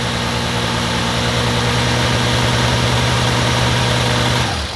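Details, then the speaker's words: Rebuilt-carb Honda CBX six-cylinder, restarted after sitting a couple of weeks with a battery needing charge. A smooth, even hum holds steady with no misses or knocks. Once enough gasoline reached it, it runs normally. "The battery definitely needs to charge, but also it just didn't have enough gasoline. I think that final bit of gas that got into it finally was enough to let the bike just rev up."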